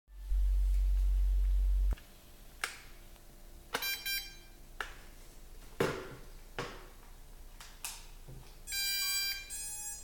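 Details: Drocon Bugs3 drone: short electronic beep bursts between handling clicks, with no motor spin-up. The motors won't start despite following the instructions; cause unclear.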